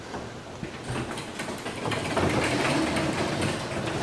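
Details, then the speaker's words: Garage door number one lowered manually with the opener released after maintenance: uneven rubbing chatter about four times a second from the slack opener chain, which needs tightening; hinges not creaking. "you can hear rubbing on the chain so that needs to be adjusted"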